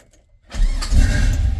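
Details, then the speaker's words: Bel Air with 2004–06 GTO engine, temporary LS-style push-connector starter with jumper wire fitted: short crank catching cleanly into strong steady idle; now starts and runs normally. "we now run and start and everything's good"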